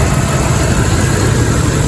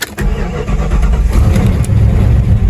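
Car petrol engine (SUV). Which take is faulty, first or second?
second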